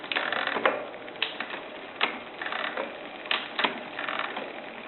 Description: With clutch turned on, the derailleur makes creaking sounds when shifting